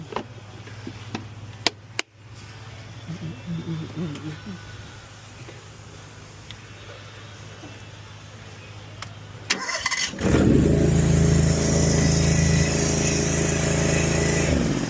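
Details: Honda GX690 engine with a no-start fixed by cleaning the carb and fitting a new ignition solenoid: it catches at once and settles into a steady, even idle with no misfire or knock.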